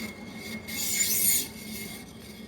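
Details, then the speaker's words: Worn ceiling fan motor bearing: a dry, high rasping rub over a faint motor hum; the fan motor must be opened to reach the bearings. "sound I bearing sound that's why we need to open this be uh fan motor bearings so need to all open one by one"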